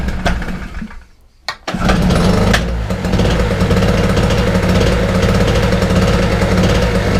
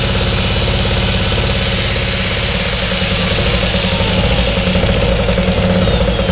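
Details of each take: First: Wolf 950 small two-stroke generator from a job lot, started on choke: buzzes up after a couple of tries and settles into an even, steady run with no misses; normal running. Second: Wolf 950 small generator from a job lot, first run after fuel on and choke set, nothing plugged in: busy two-stroke buzz with a slight rise and fall in speed every second or so. Mild engine hunting at no load, said to be typical of these.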